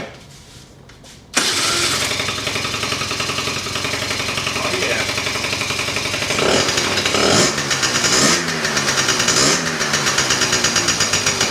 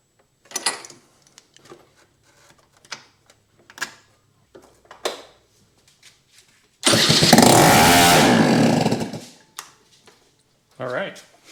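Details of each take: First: 2004 Kymco Super 9s 50cc liquid-cooled two-stroke scooter, after sitting over a year, exhaust cleaned again: fires right up into a crisp, buzzy idle with a few clean throttle blips; running normally. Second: 2004 Kymco Super 9s 50cc liquid-cooled two-stroke scooter, about 11,000 km, first test fire after top-end reinstall with exhaust and carb removed: scattered kicks and clicks, then a loud raw rasp for about two seconds as it fires, confirming compression.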